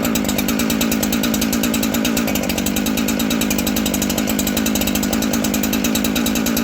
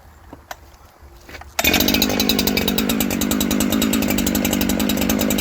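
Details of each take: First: New Husqvarna 372XP chainsaw during carb tuning: two-stroke screams at high revs with buzzy crackle but climbs sluggishly; slow to spool up, further adjustment planned. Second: New Husqvarna 372XP chainsaw after carb tuning (about a quarter turn counterclockwise from midpoint): starts first pull, settles into steady even idle; idle stable.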